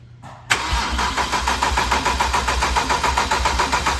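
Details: BMW 335xi built engine, first start with oil but no coolant, cranked to prime oil after a starter swap and an unplugged terminal 50 wire: starter spins it at an even three-and-a-half compression pulses per second, no clicking or grinding.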